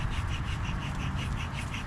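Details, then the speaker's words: 2017 Subaru Outback rear wheel hub assembly, old hub spun by hand off the car: soft, even scratching pulsing each turn over a dull rumble, worn wheel bearing; new hub is quiet. "you hear the small scratching in there."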